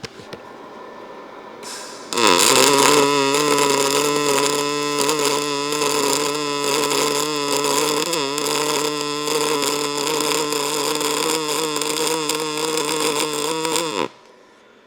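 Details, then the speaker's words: ArcCaptain MIG 205 MP, short-arc MIG at 22 V, 120 A: an even buzzing hum with less crackling for about twelve seconds; stable MIG arc. "So, hopefully you guys can hear that's turning into more of a hum, less crackling."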